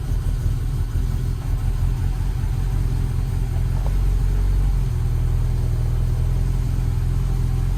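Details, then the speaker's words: Car with a rewired aftermarket EFI, first start in months, tune not yet dialed in, new tune sent but failed CRC check and caused a stutter: low, slightly uneven, hunting idle; rough idle. "I just sent the tune to the controller, caused it to stutter a bit, except it failed CRC check."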